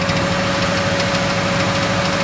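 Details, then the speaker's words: Chevelle 350 small-block Chevy V8 idling while warming up: light quick metallic rattle over steady idle; owner doubts it's a knock, thinks rattle, cause unknown; engine also misfires on at least one cylinder and smokes. "Sounds like a little rattle, maybe a knock. I doubt it's a knock. Sounds more like a rattle to me. There's no telling what that is."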